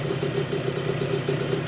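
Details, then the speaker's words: 1990 Honda CR125 two-stroke with an FMF silencer and new pipe, just restored and first fired up after starting trouble blamed on stuck carburetor floats: crisp, regular pulsing about seven beats a second, holding even with no knocks. A normal healthy idle. "Took a little bit to get her going. I'm not sure what that was. I'm pretty sure it was the carburetor floats were stuck and they weren't allowing any fuel in. Oh man, it sounds good."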